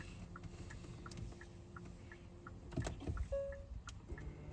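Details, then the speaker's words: Car parked with handbrake on during a driving lesson: faint steady ticking about twice a second in a quiet idling cabin, the turn signal still left on. "It sounds like a clicking noise. Yeah. Can you hear it? Yeah. Do you know what it is? It's signal."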